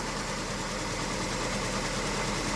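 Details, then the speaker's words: Honda Civic FD, R18A engine, after rebuild and several sensor replacements, engine light on: uneven, shaking, lumpy idle unchanged when the coil 3 connector is pulled. Misfire on two cylinders because coils 3 and 4 receive no ignition power. "เดี๋ยวต่อไปสูตร3นะครับนะครับยังเหมือนเดิมนะครับแสดงว่าไฟไม่จ่ายมาที่คอย2ขั้วนี้นะ"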